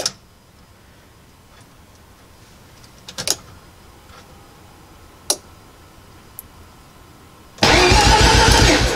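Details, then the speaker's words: Mazda RX-7 FB Turbo II with MegaSquirt engine management, firewall connectors now plugged in: quiet clicks, then a steady, even starter whirr at about four beats a second, RPM reading comes up; normal cranking. "sweet yeah so uh yeah rpm came up which is great"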